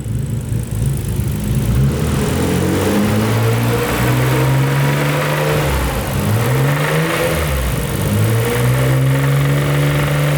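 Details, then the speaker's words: Nissan GT-R petrol engine revved repeatedly to about 3,000 rpm, window down, with a rough, uneven rod knock that quickens as revs climb; oil pressure reads fine, cause not confirmed. "can shut it off so as you guys just heard that is rod nock I mean it gets faster with the more rpms"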